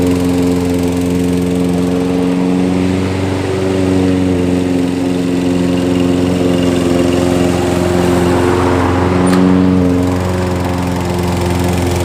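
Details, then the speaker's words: Toro mower picked up free, on ethanol-free fuel with Sea Foam and a newly installed air filter, electric start working: small single-cylinder holds a steady, even beat with no stumbling or surging; normal running. "i'm happy when things work out got a free mower and it starts and the electric start works as well so we got a nice mower for to sell on the market"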